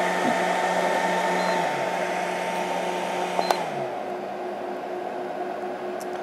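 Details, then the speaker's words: 12 V DC 1300 W RC charger power supply (53 A at 110 V, 106 A at 220 V) while charging: steady loud whooshing fan hum with a faint fixed tone; fans lack speed control and run wide open. "I think it's just not smart enough to know that I can slow the fans down so they just run wide open"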